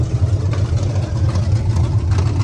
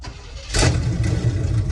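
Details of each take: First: 1976 GMC Sierra 2500 4WD small-block 350 (new headers, coil, wires and plugs): deep V8 rumble climbing as it is revved, with an uneven lumpy pulse underneath. It runs rough, cause not clear. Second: 1973 GMC with Quadrajet carburetor, first start with gas sprayed in after sitting: cranks and catches after half a second, settling into an even deep idle with no odd knocks; normal start.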